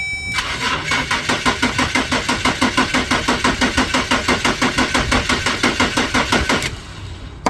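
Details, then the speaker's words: Vehicle with no-crank no-start, starting only when power is jumped directly to the starter: steady cranking about three turns a second for six seconds without firing; cause not confirmed. "so far I've only gotten it to where I can start it manually with jumping power to the starter which I do so like"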